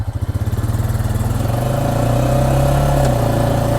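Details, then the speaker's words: ATV (the Honda, in a comparison with a 2024 Massimo MSA 550) pulsing slowly, about four beats a second, then revving with a knock or clunk from the transmission on acceleration, felt as a small jerk. "so every time you accelerate that acceleration it will kind of knock knock so sometimes if you're on a weird kind of terrain it can actually knock and you can kind of feel a little bit of a jerk"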